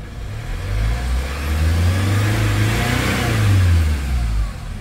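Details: Hyundai Starex diesel that would not start, checked with a scanner and now running: rises smoothly on a throttle blip and settles back down, even without stumbles; engine runs healthy.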